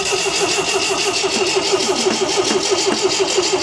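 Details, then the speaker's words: 1974 MGB GT, stored 29 years, points installed, spark present, petrol poured in carb: steady cranking about three beats a second with even compression, never catches, float bowls not filling; crank no start, fuel starvation. "oh come on yeah it's like it's not it's like the float bowls aren't filling you know"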